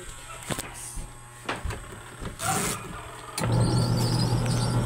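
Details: Camel washing machine under repair for a fault where it ran as soon as it was plugged in, before the selector knob was turned: a few knocks and clicks, then a steady low motor hum starts and holds evenly. The washer motor runs on command.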